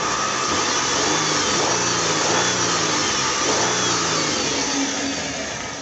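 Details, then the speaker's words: 2004 Kia Sorento with codes P0420, P0430, P0300, P0301, P0303, P0305, being revved after a part was replaced: lumpy, uneven pulse under rising and falling revs, still stumbling with vibration, no fuel smell; misfire, cause unconfirmed. "we want to check timing and again the car is still stumbling but I don't smell no gas I'm give it a REV"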